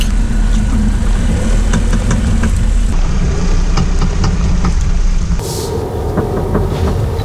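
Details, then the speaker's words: Volvo V60 at about 19,000 km, already repaired once under warranty at 9,000 km: heavy, repeated loud knocks when turning at low speed under throttle. A driveshaft clunk recurring around 10,000–15,000 km; cause unclear and repeat repairs have not fixed it. "就是低速转弯加油下去的时候会咔，扣，一直扣。对，只要在回转，比如说我只要我一直回转，我一直回转，它就一直扣，然后很大声。"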